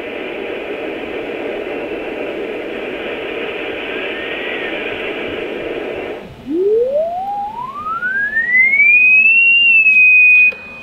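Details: Rohde & Schwarz EK070 late-1970s shortwave receiver, 14 MHz unmodulated A3 carrier in SSB; steady static hiss, then a clean whistle glides up in pitch as tuned and holds steady. Receiver working normally.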